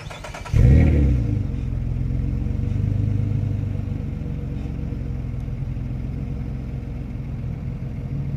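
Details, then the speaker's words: Nissan straight-pipe exhaust, pipe cut and rejoined with a Walker band clamp instead of welding as a temporary fix: sharp rev then deep even rumble settling to idle; minimal leak where the two pipe ends meet barely stands out. "In my case, there's a small leak right here with the two ends meet, but it's very minimal and it beats welding on the car."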